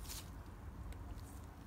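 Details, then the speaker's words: New rear wheel bearing for a BMW R 1100 GS final drive crown wheel, spun by hand: completely silent, no grinding or rumble, unlike the noisy failed old bearing. Only faint room hum and handling clicks. "completely silent. All right. So, here's the old one."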